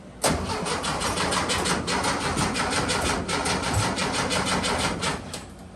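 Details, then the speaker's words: Porsche Speedster replica with freshened Porsche engine, fuel pressure 2 lbs, carburetors getting fuel: steady starter cranking about three beats a second with no firing; cranks but no start, no spark because ignition coil was unhooked. "remember I said when I was cranking away it sounds like it doesn't have spark cuz it didn't"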